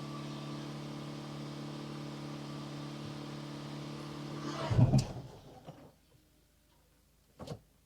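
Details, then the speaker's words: Hyundai hybrid after valve body and solenoid reinstall for a transmission fault, car on the ground with the fill cap open: starts with a fast, steady, abnormally high idle for several seconds before shutting off; did not sound good. "Moment of truth. Starts up. Very high RPMs."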